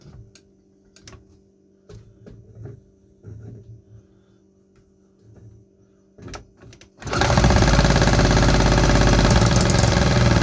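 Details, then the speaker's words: 3D-printed 125cc two-stroke engine: clicks and fiddling, then it suddenly catches with a loud buzzing run for about six seconds, but only on starter fluid; a fueling problem remains. "It still has some fueling issues though. It started on starter fluid. It ran for like 6 seconds."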